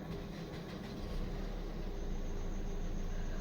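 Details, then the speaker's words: 2014 Maruti SX4 diesel, previously cranking but not starting with security light blinking; after main relay fault (P0685 ECM/PCM power relay control circuit) fixed and code cleared: starts and settles into low, steady, even idle, no warning lights. "Okay गाड़ी भी start हो गई है देखिए कोई light भी नहीं आ रही है"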